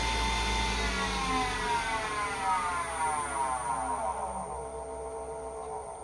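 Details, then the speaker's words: Grizzly G0766 wood lathe, newly assembled, spinning at about 3,330 rpm (rated to 3,200): steady high whine with faint rough whirr underneath; owner suspects a bad bearing, unsure. "I will say though, that sounds like a bad bearing. So we will be calling Grizzly about that and having them listen to it."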